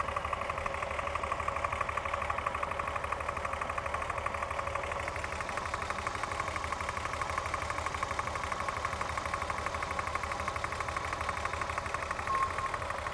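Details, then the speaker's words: Corrado at season opening, after reattaching a loose spark plug wire that caused trembling: light, steady top-end tick about three times a second over a quiet idle; cause not yet pinned down. "I fixed it, it is better, but now there is some bad, like tick in the engine,"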